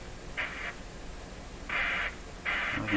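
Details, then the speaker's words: Grundig 2030 AM/FM tube radio with dial string restored and tuning capacitor turning freely: while tuning, short hissy crackle bursts come and go over quiet static; suspected contact issue, possibly a tuning capacitor short. "totally unexpected certainly sounds like a contact issue"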